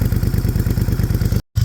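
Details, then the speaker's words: 2017 Moto Guzzi Griso 1200 V-twin, redline 8,000 rpm, heard at exhaust after clutch repair: deep, even thump, roughly sixteen firm pulses a second, steady and regular, no knocks or rattles. Normal engine running. "Look at that. Red line's at 8. Very torquey bike. Yeah, man."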